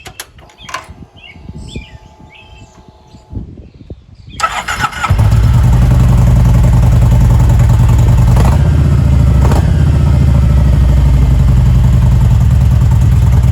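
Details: 2016 Kawasaki Vulcan 1700 V-twin after oil change and grip swap: some clatter, then fires and settles into a steady, even low thump with no misses or odd noises; running healthy.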